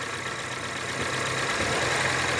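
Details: Honda Civic/HR-V automatic shifted between neutral, drive and reverse with brake held, checking for a recurring engagement noise (tensioner play suspected); smooth even idle, no clunk or knock; normal gear engagement.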